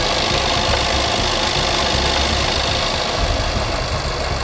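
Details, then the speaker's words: Supercharged Range Rover, 216,000 miles, idling after owner's own repair with new coolant line holding: rapid light ticking clatter, about four ticks a second, over a busy idle with the cover off; knocky sound, source unclear. "Something sounds a bit knocky, doesn't it?"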